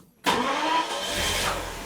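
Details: Daimler Double Six (Jaguar XJ12) V12 that arrived with a no-start and no charging: brief crank, then catches at once and settles into a smooth, even idle; clean quick start on repeated restart tests after connection repair.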